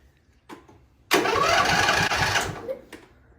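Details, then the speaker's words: Husqvarna GTH 2654 riding mower that had not been running, with new spark plugs and battery cable: the starter churns about 1.5 seconds at 3–4 turns a second but never catches; no fuel. "um so we're not getting fuel it runs we got choked on this time around"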